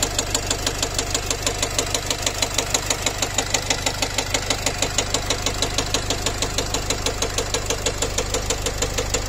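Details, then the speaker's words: Nissan X-Trail 2.0 dCi (Renault-built diesel) at idle: a sharp, regular metallic knock about three times a second over the diesel clatter after the engine stalled and restarted. The mechanic feels a piston hitting valves; spun bearings were suspected but ruled out, and a loose piece of metal was found inside. "Ощущение, что лупит поршень по клапанам."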